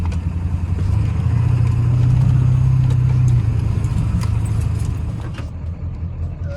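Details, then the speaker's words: Ford F250 7.3L Powerstroke diesel, with oil in the coolant, coolant in the oil, low oil and a slight miss at speed, cooling system and oil cooler new: idle surges and sags, lumpy rough idle. "Yeah, definitely not happy at idle. Interesting. Unlock. That sounds a little lumpy still."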